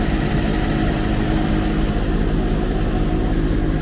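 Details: 2013 Chevy Equinox salvage rebuild, running on jumper pack, alternator still burnt and needing either a new alternator or a new back piece; smooth, steady mid-low idle with even pulse, no tapping, misses or grinding: normal idle.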